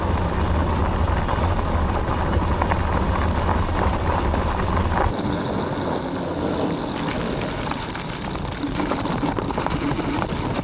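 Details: Aniioke A8 Pro Max dual-motor e-bike riding over rough gravel after tightening the stem and shocks and adding foam pads where the controller hit the frame; steady tyre crunch with motor hum and no knocks or clunks from frame or front end; clunk fixed.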